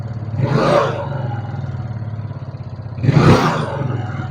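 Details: Old carbureted Yamaha Mio Smile, weak and rough-running: a fast rhythmic tick grows louder as the throttle is opened. The rocker arm and camshaft area is suspected, before teardown.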